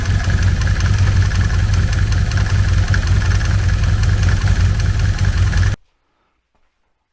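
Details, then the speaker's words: 2014 Can-Am Commander 800 after primary clutch cleaning and reassembly: steady low engine drone with faint irregular click, two to three per second; residual clutch click, owner suspects the one-way bearing, not confirmed. "the clutch is a lot quieter than it was but it still does have a click to it and now that is what i believe based on what i've seen and read is the one way bearing clicks when you roll it the one way and it locks fine on the other side"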